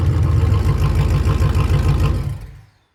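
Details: 1988 Formula Firebird with a 5.7 350 TPI swapped in from a 1992 Z28, first start after a new AC Delco fuel pump: V8 settles into a low, lumpy, slightly uneven idle before shutting down; normal idle.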